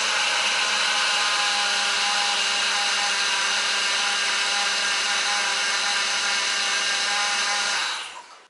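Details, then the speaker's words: Ford BA Falcon power steering pump after removal, inspection and refit, reservoir overfilled: constant buzzy whine with a shrill edge until shutdown; air in the fluid causing pump cavitation, not damage, as pump spun freely by hand; noise later fades. "But that sound was almost certainly the air in the pump, not any damage to it, because it spun freely in my hand. I am half expecting it to make that noise again though."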